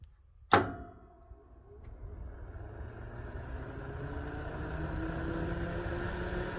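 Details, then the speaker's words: 6500 W 240 V fan-forced electric garage heater, newly installed and set to 4000 W: a sharp click, then the fan spins up into a smooth, even whoosh with a low hum; running normally, putting out plenty of heat. "Now she's running. Hey, so we've got our heater hung up. It is doing very well. You can probably hear it running behind me. It makes a little bit of noise, but there's quite a bit of heat coming out of that, so that's good."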